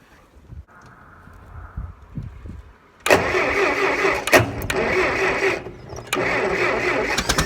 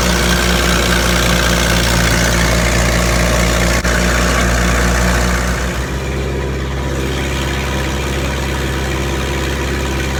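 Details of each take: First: Massey Harris 50 tractor with a jerry-rigged jumped wire in the dash power circuit. The starter churns the engine at about four beats per second but it never fires, because the fuel valve was not opened. Cranks, no start. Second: Massey Harris 50 tractor idling normally, used with a pull-type snow blower: an even low chug of roughly three beats a second that settles a little lower partway through, smooth and steady.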